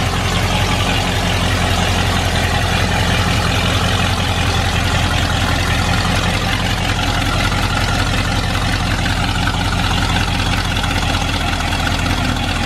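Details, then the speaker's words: Ford Bronco V8 first running after cylinder head replacement and FiTech EFI install, timing just set, hot weather over 100 degrees: deep, steady idle with even lope, no misses or tapping; running good. "so let's see if we got this thing timed up right now thank you running good dude"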